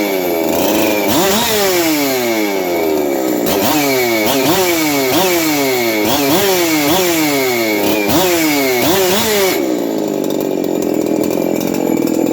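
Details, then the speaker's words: 372XP chainsaw on a bench run, roughly tuned, with good compression and chamber work. Quick blips up to a high scream carry a thin rattle from the noisy aftermarket clutch drum needle bearing. "when I Zing it up up I can hear the needle bearing on the clutch drum but that is afterm market so see if she'll start"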